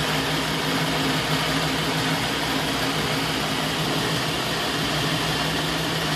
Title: Rough idle